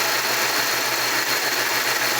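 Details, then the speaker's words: Jeep Cherokee XJ first startup after new cylinder head, cold air filter, plugs, wires, hoses and gaskets on a recently installed short block: steady even idle, no knocks or misses; runs good. "new head new cold air filter plugs wires hoses gaskets but it runs good"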